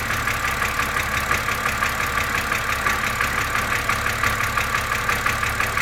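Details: BMW Z4 2.5si at cold idle: crisp, even ticking about three times a second over a smooth idle; source not yet identified.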